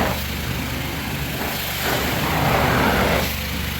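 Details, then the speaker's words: Carpet cleaning wand sputtering over engine drone, with an uneven fluttering hiss, because the chemical feed lost its prime or the chemical tank is empty, so it pulls air or plain water instead of chemical; the pump looked primed. "You hear how it's sputtering? If you ever hear that, that usually means either your chemical tank is empty or it didn't prime and you're not getting chemical through and it's just pulling either air or just water is coming through."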